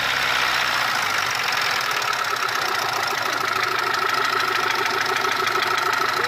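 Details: Mitsubishi 1.3 petrol engine after an overhaul with cylinder head and block work, idle carries a light repeating, slightly uneven knock about three per second over a steady hum; knocking, cause unknown.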